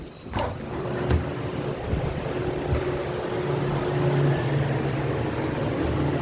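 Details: Copeland compressor making noise and cutting off, fan staying on: low steady drone with a rough, uneven rattle and occasional knocks; compressor sounds strained, cause unclear.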